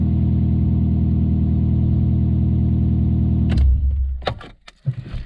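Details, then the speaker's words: Alfa Romeo 147 2.0 Twin Spark, first start after an engine swap, check-engine light on: fast, even beat on all cylinders, but the exhaust booms far too loud to judge how the engine runs; exhaust needs attention. "jár a motor, nagyon hangos, szuper, fantasztikus."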